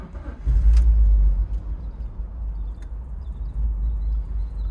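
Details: BMW E46 325Ci misfiring cylinders 1–3 (codes P1343, P1345, P1347, P0444, P0102) after rebuilt fuel injectors, new spark plugs and fuel pump: catches and settles into a lumpy, stumbling idle with low thumps; still misfiring, owner suspects low fuel.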